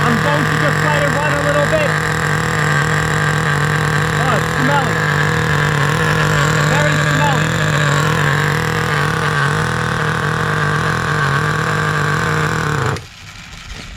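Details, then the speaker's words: 2008 Duratrax RTX-27 1/8-scale nitro monster truck, first start after priming with the glow heater on: loud buzzing drone wavers and burbles unevenly, then cuts off. Running way too rich, leaned about half a turn. "rich two inch it was definitely way too rich going to lean it out about half a turn here yeah it was definitely way way too rich"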